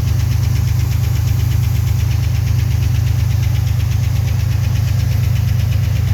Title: 1990 Chevrolet Cheyenne 4.3 knocking noise